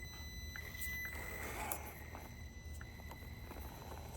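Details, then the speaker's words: RC crawler (Bronco on soft yellow-insert tires) slow crawling on a DIY course: thin steady high-pitched ESC whine over the crawling and rustle at low throttle. "You can kind of hear that ESC whining a little bit. Just kind of a work in progress on both of them."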